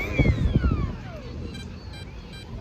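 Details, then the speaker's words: UDI908 RC boat with ZTW Shark 40A ESC, 3S 1500mAh battery and brushless outrunner: motor whine winds down, then three evenly spaced high beeps as low-voltage cutoff set at 3.4 volts reduces power rather than cutting it. "it's three beeps beep beep beep that means reduce power so it's kind of just enough power to get back to shore"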